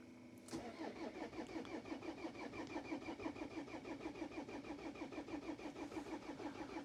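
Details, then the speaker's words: Pizza van diesel in hard frost, cold start with thick oil after glow plug cycle; earlier diagnostics showed a glow plug error: steady cranking about three compressions a second, almost catches but won't run; no-start, glow plugs suspected failed. "Korralik cold start vist. Oi, peaaegu lubas."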